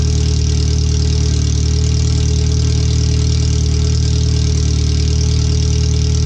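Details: First startup after a new header and fuel filter, with O2 sensors moved and a wideband bung added; checking closed loop on the open header before the exhaust is fitted. Very loud, deep, steady idle with a raw, hard-edged unmuffled beat. The computer reads 5–7% rich.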